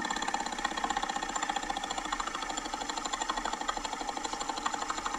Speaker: it sounds like a fan hitting something so like a fan hitting a fan shroud or like a blower motor with like a nest in it or like a maybe the cabin air filter is hitting the blower motor or we'll give it to you yeah it's that's a dying blower motor okay at the end of its life